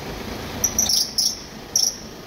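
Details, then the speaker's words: Short high-pitched chirps in bursts at quiet idle when the steering is turned to full left lock; the charging belt has aged and hardened, the alternator's bearing pulley and the automatic tensioner have both failed. "şarj dinamo bilyalı kasnağı bozulmuş otomatik gergi ayar dediğimiz gergisi de bozulmuş arkadaşlar direksiyonu tam tam sol dayadığın bu ses gelir ve aracın sahibini rahatsız eder"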